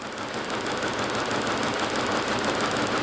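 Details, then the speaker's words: 2003 VW Passat 1.8 Turbo: uneven, stumbling idle with an irregular beat about three per second while coils are swapped and unplugged. Misfire with cylinders 3-4 or 1-2 dead, traced to two faulty ignition coils; the camshaft position sensor was also replaced. "Pues no sé qué está pasando, pero ya vimos que al parecer tanto el cilindro, no sé, 3.4 o 1.2, dependiendo de cuál sea, no está funcionando."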